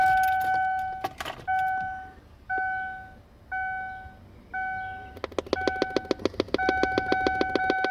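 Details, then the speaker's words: Chime tones then sharp, rapid popping from the dash speaker of a 2002 Lincoln LS8 while driving, traced behind a dropped dash panel to a hidden aftermarket device. "Alright, so this sound, that popping noise happened while I'm driving"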